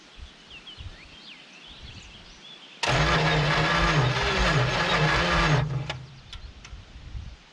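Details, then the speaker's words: 1970 Dodge Super Bee big block, junkyard car, after a coil replacement with fuel poured in and the starter wire pushed: about three seconds of cranking with uneven chuffs as cylinders try to catch, then it drops out. It sparks but won't start; the battery may be weak. "so we're getting some kind of it is sparking we're it's trying to start just turn that idle up a little bit"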